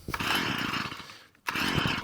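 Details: String trimmer two-stroke after carburetor work and a now fully working choke, started on choke: high buzzing run that suddenly dies away for a moment before catching again when taken off choke; it stumbles off choke.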